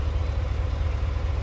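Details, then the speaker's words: 2018 Cadillac Escalade V8 idling after a DOD delete with a BTR conversion cam kit and LS7 lifters and trays. The tick came from a failed DOD lifter. Steady, even, smooth low rumble with no tick, only belt noise; a slight shorty-header flange leak is possible. "No more tick. So this thing should be good for a nice long time."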